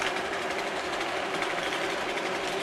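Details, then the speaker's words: Model railway freight train: fast, busy clatter over the track hum as the wagon next to the guard's van derails, possibly knocked by fingers while handling. "sure you can hear that okay okay we don't want a train derailment I can see it's the one next to the guards van"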